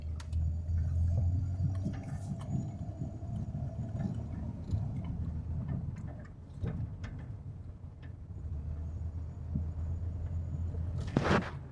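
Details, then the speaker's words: 2006 Pontiac G6 at road speed after front wheel hub bearing replacement: low even road rumble, no more humming from the bearing, and a windy sound from a metal piece that isn't fully welded. Much quieter after the repair. "Need to be welded in all the way, but whole lot quieter. You don't hear that humming sound that you was hearing before."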